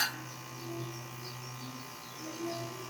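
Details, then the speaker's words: Home AC condenser fan motor, stalled before being kick-started with a screwdriver: steady electrical buzz with a low mains hum and no fan spin-up; it runs once pushed, showing a failed run capacitor. "now as you can see the fan is spinning up and that tells me that the capacitor is bad"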